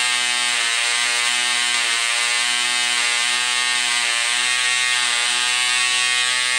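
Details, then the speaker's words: Vintage Cox .020 glow engine during needle adjustment: shrill, high buzzing whine with slight rise and fall in pitch as rpm goes up and down; running smoothly. "And as soon as it turns on, you have to start closing the needle to help it get rich and fuel, and then the RPM starts to go up, and then it'll get a point that goes up and down. So then you start opening it."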